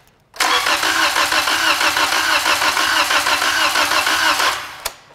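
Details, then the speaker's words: EM-141S-TY01 trainer engine cranked with a compression gauge fitted, throttle not fully open and other plugs left in: steady cranking with an uneven beat, one cylinder showing poor compression from a built-in fault. "can see that that cylinders not doing a very good job of making progression"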